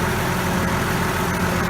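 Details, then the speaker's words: Allis-Chalmers 180 tractor, 301 diesel with low hours, after running the overhead: starts quickly, settles to an even steady diesel clatter at idle with no misses or knocks; runs smooth, little smoke. "She starts pretty good now. Starts good, runs smooth. Sounds real good. Sounds like these 301 Allis always have. Real quick, real smooth."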